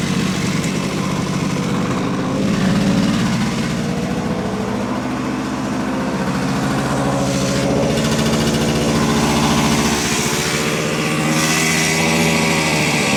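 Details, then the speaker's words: 1970 Suzuki T350 Rebel two-stroke twin, long stored, just started on choke after carb cleaner: ragged, uneven idle with loping, stumbling beat; owner unsure the left cylinder is running, possibly firing on one cylinder. "yeah let's see I don't know if it's running on the left we'll try again"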